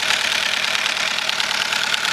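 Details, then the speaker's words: 2007 Chevy Cobalt running candle wax instead of oil, oil pressure light on: harsh, sharp metallic clatter at idle; knocking from oil starvation. "OKAY, THIS SOUNDS HORRIBLE. I'M GOING to say this oil pressure gauge is never going to work again, either."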